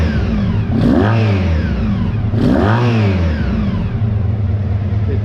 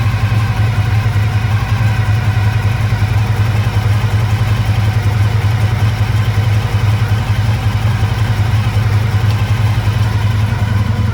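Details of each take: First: 1985 Honda VF1000R V4, restored and then left unrun for years, after a carb clean and carb balancing: it blips up twice, revs out cleanly and drops straight back to a steady, slightly fast idle, fixing the poor idle. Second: 1985 Honda VF1000R V4, warm, first run after years in storage with carbs not drained: lumpy uneven idle on three cylinders, rear right cylinder dead; suspected blocked pilot jet from float bowl muck.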